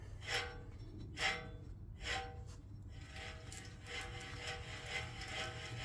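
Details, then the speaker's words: Jaguar XK (X150) driver's-side rear wheel bearing, removed and spun by hand: a dry, gritty rasp that fades as it slows from a rough, completely worn bearing, the main cause of the rear bearing noise heard while driving. "you imagine that noise being transmitted through the car once you get over 20 mph so there you go completely knucked rear wheel bearing on the driver's side rear"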